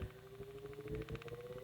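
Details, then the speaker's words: GE brass blade fan AOU 75423, gearbox freshly cleaned and packed with new grease, run open at low voltage from 50 V upward: a quiet, even run with light regular gear ticking as the gears pull grease in; running normally. "so I'm gonna crank the voltage up and you see how that just pulls that grease right into the drive when you have old dried-up grease in there it won't do that"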